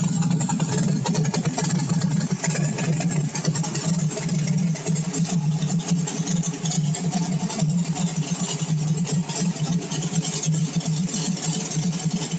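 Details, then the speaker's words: Cold start on warm day, V8 with CSU blow-through carb on pump E85, no choke or extra cold-start fuel; deep, even burble at smooth 800 rpm idle, no misses or knocks, engine warming normally. "I don't know how well you can read that, but that's not indicative of some monster roller. It's a nice, smooth 800 RPM."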